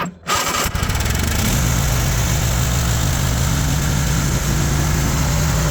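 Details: Cub Cadet zero-turn mower with a Kohler engine, after repairing a rubbed-through wire and confirming 12 V at the fuel solenoid: the starter cranks briefly, then the engine catches and settles into a steady, even run with no stumbling. Normal running.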